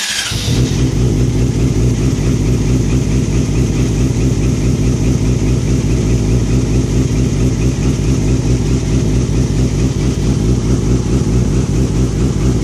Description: 2007 Yamaha r6 rough idle.